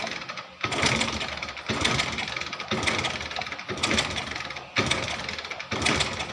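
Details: Hero Splendor Plus Xtec BS6 fuel-injected bike that died while riding, kicked about once a second during ignition wiring checks: brief mechanical churn, no firing; no spark.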